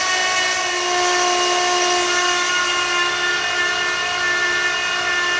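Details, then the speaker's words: Blown 335hp Ardun flathead freshly swapped into a 1932 Ford Roadster, cranked with magneto off and fuel pump fuse pulled to prime oil: steady starter whine, engine turning evenly with no firing; gauge reads about 40 psi. "the mag is shut off I pulled the fuse out of the fuel pump so the fuel pump's not going to be running crank this thing over and wait for some oil to pressure up"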